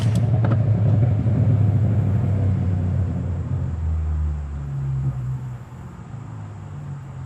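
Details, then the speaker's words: Subaru after new spark plugs were fitted, coils tested and the tune reverted to its original settings: a low, steady churn of about four pulses a second that never catches, cranking without starting. "Um, it's not starting, obviously, as you can see. I don't know what I did."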